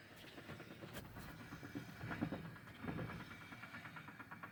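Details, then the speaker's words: Axle with 4.11 gears, wheel spun slowly by hand, oil recently changed, no leaks: faint soft clicks from inside the differential housing, wheel sometimes stops rotating; source not yet pinned down; differential clicking. "it's like a clicking noise now these do have four1 gears and I know that some gears can make a little noise"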